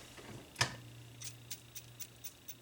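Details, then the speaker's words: K7400 25-inch arcade monitor chassis (shorted HOT, C204 installed backwards, bad B+): one sharp snap, then faint ticks about four a second over a low hum; power supply restarting from a cold solder joint. "i gotta find the cold solder joint and that should get this up and going so just to show you what's going on here if i just move this around here and set it in place i'll turn this on you'll hear it go tick tick tick tick tick and watch the meter here"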